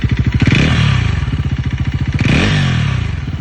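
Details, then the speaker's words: Bajaj Pulsar NS400, only 1200 km: two throttle blips with a rattly clattering top-end noise as revs rise and fall; owner suspects timing chain issue, unconfirmed. "इसमें ना मेरे ख्याल से timing चैन का issue है शायद क्योंकि मैंने अभी खींच दी थी थोड़ी भगाई मैंने तो टाइमिंग चेंज का इशू लगा है"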